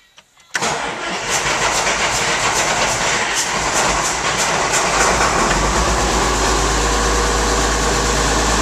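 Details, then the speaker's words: Rebuilt tractor diesel at first start after the rebuild, with injectors bled, possible air in the fuel lines and a run-down battery: brief cranking, then it fires right up into a steady, even clatter with no missing or hunting; a normal start and idle. "it's running. Good light here for you. This sounds pretty good."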